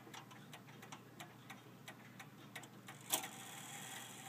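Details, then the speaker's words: 1874 F. Kroeber cast iron clock, cleaned after years unused, ran all day then stopped about 5 a.m.; ticks uneven, seeming to speed up and slow down, out of beat. "I'm not too entirely sure about the beat on this clock. It sounds like it's not quite right, but it ran yesterday for a long time and it stopped at 5 a.m."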